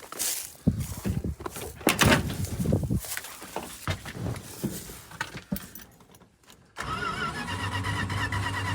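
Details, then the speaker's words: 1986 Dodge Ram 150 Custom, engine turns freely, fuel poured in for the test: after some rattling the starter cranks steadily but it never catches; no spark because the coil-to-distributor tower was full of leaves with no coil wire. "Found out why she wouldn't fire. Where the coil wire from the coil goes to the distributor is full of leaves and no wire to the coil."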